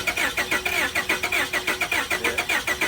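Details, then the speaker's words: 2002 Honda Accord at police auction, jump box hooked up and starter fluid shot: fast even starter whirring, turns over but never fires or catches; crank no start. "Couldn't get a catch. Couldn't get it to fire, but is turning over, as you could hear."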